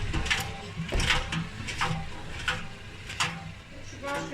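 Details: Beko WTE washing machine after 7 years of use: irregular clattering bangs and knocks about once a second over a low drum rumble; abnormal loud noise, cause not yet clear.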